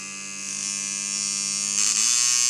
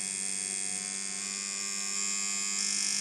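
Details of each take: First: Dan Kubin Sidewinder V3R tattoo machine with rubber bands on, run at about 5–7 V before the fix: a steady high buzz suddenly jumps in speed and pitch. Inconsistent speed. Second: Dan Kubin Sidewinder V3R tattoo machine after the fix, rubber bands on, stepping from 4.5 to 6.5 V: an even high buzz that steps up slightly with voltage, with no stutter. Running smoothly.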